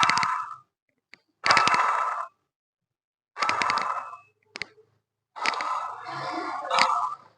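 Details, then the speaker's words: Toyota Innova with timing belt cover removed, water pump bearing spun by hand: four short bursts of dry rattling grind; worn bearing with heavy play, causing a growling noise when running or starting and coolant leak. "Sound ആണ് നമ്മൾ ഓട്ടത്തിൽ അല്ലെങ്കിൽ വണ്ടി start ചെയ്യുമ്പോൾ കുറു കുറു കുറുന്ന് കേൾക്കുന്ന ഒരു sound ഈ ഒരു സൗണ്ട് ഇങ്ങനെ ഓട്ടത്തിൽ ഇങ്ങനെ കേട്ടോണ്ടിരിക്കും"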